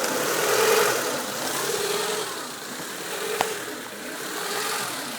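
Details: Warm 1995 Honda Civic DX idling with its hum swelling and sagging every second or two, with IACV control voltage around 10 V. The surging idle was fixed by adjusting the cold fast idle valve to begin opening at 100°F.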